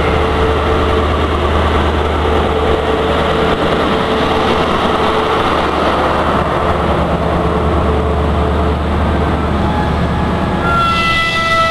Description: IC125 pulls out of platform 5 Reading making a very strange noise.